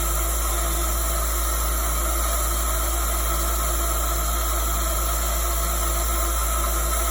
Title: PROVerXL 4030 spindle making noise